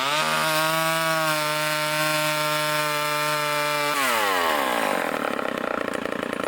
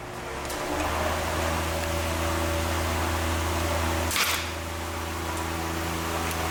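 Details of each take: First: Vintage Craftsman chainsaw with Power Sharp, after new air filter, fuel line, fuel filter and rebuilt carburetor: steady high buzz at full throttle, dropping smoothly as it cuts wood; running clean and strong under load. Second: Vintage Craftsman Power Sharp chainsaw with Tillotson HU carburetor after cleaning: held wide open with steady buzz, then throttle blips; running slightly rich on high, high-speed needle needs leaning.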